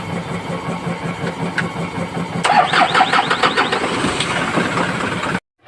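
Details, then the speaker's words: Isuzu 4HL1 diesel, hard starting, after cleaning a sensor and replacing the fuel pump: uneven starter chugging for about five seconds without firing; still long cranking, next step scan. "okay pum at h hilot yung fuel pump niya pinalitan natin ng fuel pump wala pa rin Mahaba pa rin ang cranking"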